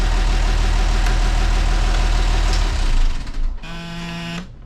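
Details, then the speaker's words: Port Perkins T6.354 marine diesel after CAV injection pump reinstalled, no leaks, run to operating temperature before a restart test: even idle pulsing about three beats a second, then clean shutdown and short warning buzz; normal warm idle. "We're going to let it get to operating temperature and see if it will restart."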